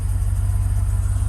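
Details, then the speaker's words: GMC/Chevrolet 1500 pickup on jack stands, first start after fuel pump replacement: smooth, evenly pulsing low idle with no misses, ticks or whine; it sounds better than before the repair and healthy. "Sounds better to me. Hey, wasn't doing that before, y'all."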